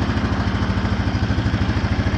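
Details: 2014 Honda Foreman 4x4 TRX 500 FM1 ATV, 444 miles, cold start: electric fuel pump needs a moment to refill the drained line, then a steady, even low single-cylinder putter with quick regular pulse, no knocks or misses; normal healthy idle.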